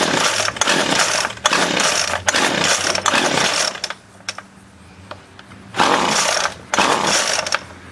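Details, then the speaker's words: 25cc Featherlite string trimmer, two-stroke, after carb cleaning and new fuel lines, choke on: revs in bursts, drops to weak idle, picks up unevenly; rough surging, owner says high and low mixture screws need fine tuning. "It actually needs fine tuning with the high and low mixture screws, but I don't have the proper tool to do that."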